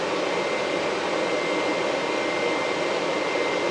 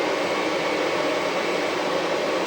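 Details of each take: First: HPEVS AC-50 induction motor driven by a Curtis 1239-8501 144V controller, bench-tested: thin steady high whine over a hiss as the motor spins up, gone once up to speed. Motor runs silent on old 96V controller; source unconfirmed. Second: HPEVS AC-50 induction motor on a Curtis 1239-8501 144 V 500 A controller, bench test without high-voltage pack. It runs with a smooth, even whir at speed. The noise heard at start-up goes away once up to speed; owner blames the controller, since the motor starts silently on the old 96 V controller.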